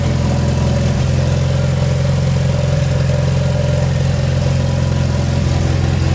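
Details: Mitsubishi Evo 8 restarted at idle during an oil change, after a brief run to fill the new filter and topping up slightly low oil; fuel pump audible. Steady, even idle hum with low drone and faint whir, no knocks or misses; normal idle.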